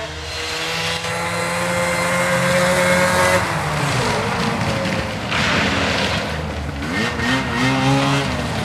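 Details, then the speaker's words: Arctic Cat ZL600 EFI two-stroke snowmobile after fixing a ground and refitting the muffler: drones, then sags and stumbles on throttle before picking up; better but still bogging a little, with a small backfire, cause unknown. "it seems it's definitely better it's still bogging a little bit like i was saying orion before"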